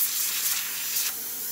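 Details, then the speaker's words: Quick Mill Silvano espresso machine after water pump and air valve repair: strong even high steam hiss without sputtering after clearing a slight clog; wand delivering full steam normally. "it's hot in here so you don't really see the steam coming out but as you can see you can barely see it but you can hear it's a nice steam coming out"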